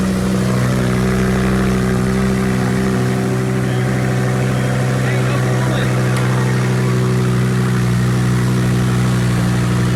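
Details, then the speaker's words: Wrecked 2020 twin-turbo Audi R8 V10 during rebuild, just started after fixing unplugged connectors, stock and not yet warm: steady, even idle with smooth unbroken hum, no knocks or misses; normal idle. "It starts right up. Sounds pretty good. I mean, it's all stock right now, but you know what?"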